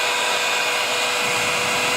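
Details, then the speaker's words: Old Philips HP 4625 portable hair dryer, dusty, first switched on: even, steady airy rush with a faint motor hum, no rattle or speed wobble, blowing hot air. Running normally. "It's actually blowing hot air."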